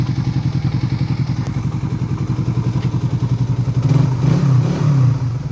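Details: Suzuki Raider 150 FI just after replacing connecting rod and complete cylinder head: steady idle with a light, regular tok-tok ticking about three or four times a second over the exhaust; owner asks if normal, source unclear.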